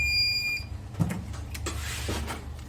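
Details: Smarten Saver 2000 inverter fault where switching stops on mains but the relay stays on with about 11 V on its coil: steady high beep then cuts out, leaving faint hum and handling clicks.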